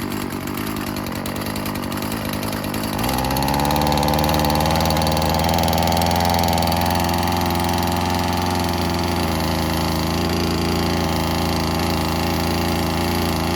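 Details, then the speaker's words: Old Stihl FS36 two-stroke string trimmer after a carb screw was reset to 1.5 turns out: picks up after three seconds, then holds a steady, even buzzing idle without hunting or stalling. Runs better. "I'd say it runs better. It's idling. So I was right."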